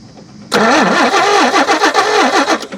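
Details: G60 Nissan Patrol, long-neglected lawn car, plugs showing no spark while a spare plug sparks (old plugs suspected dead): starter cranks with a wavering, pulsing tone for a couple of seconds but never catches; cranks, no start.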